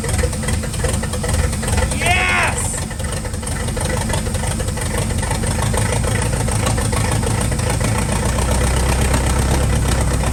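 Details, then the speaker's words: 1940 Cadillac 346 flathead V8 barn find, first start in about 20 years on ether, no exhaust fitted: loud, steady, even low beat with no knocks or misses; runs healthy. "Well, she runs. She starts, she runs, and now we got to get her running on her own fuel. So, and she sounded pretty healthy."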